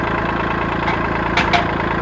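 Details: 1980s $500 boat's 125 hp four-cylinder two-stroke at a steady, solid idle, with a light, fast rattle underneath from the output shaft loose for lack of bearings; the motor itself sounds fine.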